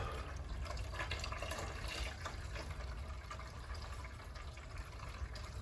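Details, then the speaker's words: Radiant heat loop being purged after replacing a defective 2-loop manifold with an Uponor EP manifold: continuous, even rush of water, no sputtering or gurgling, almost steady stream with no air; ideal purge flow. "amper 'n bestendige stroom water geen lug ideaal wat ons wil hê"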